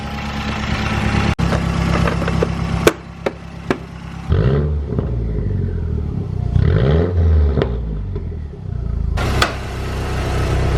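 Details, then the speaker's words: Mazdaspeed 6 idling after the fix, air/fuel now steady around 14.7 and no longer rich, where it previously swung lean and rich; the owner had suspected the MAP sensor. A low, steady hum settling into an even, healthy idle after a few blips. "it's back a pump run and good sounds good doesn't even smell rich"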